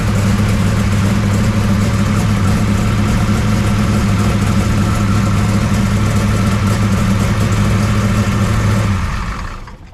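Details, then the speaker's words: 1969 Camaro pro street V8 after Holley carburetor rebuild, first cold start; deep steady burble, even low thump, no misses or knocks, smooth until shut off; runs pretty good, timing suspected retarded and about to be checked. "Runs pretty good."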